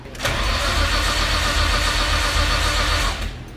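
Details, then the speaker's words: Nissan R33 with big turbo, first start attempt, MAP sensor reading incorrect, voltage dropping to 9 V while cranking: even starter cranking about four per second for three seconds, never catches despite spark and fuel; crank no start from corrupted ECU map file. "the it sounds okay cranking but it goes down to nine volts while cranking"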